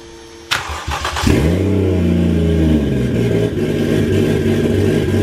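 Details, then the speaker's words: Used Toyota 1JZ VVT-i engine, sat for a long time with transmission fluid in the cylinders, first start after wiring: cranks, catches, revs and settles into smooth even idle, no knocking; normal start and idle. "there we have it guys she came alive that's right get old 1j fired up sounds good"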